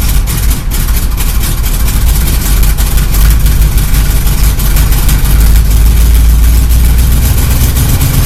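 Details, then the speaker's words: Chevy El Camino, carbureted, ice cold after sitting about a month and a half, running after gas was poured into the carb; deep, steady, even idle with no misses. Good cold idle shows the carburetor works and the old gas hadn't gummed it. "and it's got a good Idol at cold that means this craft work because it was sit in a while"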